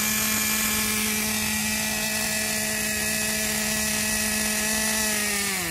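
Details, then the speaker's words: Traxxas 2.5 nitro RC truck engine, freed from a seized state, with new glow plug, needles at factory settings, probably first start in years: shrill, steady buzz at even speed, winding down smoothly off throttle; runs well, slight air leak on top. "well that's the first time this trucks been started from what it sounds like in a couple of years so she runs pretty good"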